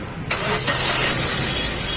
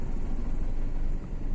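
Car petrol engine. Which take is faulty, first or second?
second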